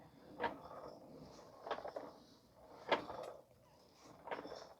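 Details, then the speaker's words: 2013 Honda Odyssey with newly installed tires and highway shaking: soft, uneven thuds about once a second as the wheel turns; a loose broken piece is rolling around inside the tire. "I found something very interesting here because the customer just had new tires installed and I hear something that's broken uh inside the the tire here you can hear"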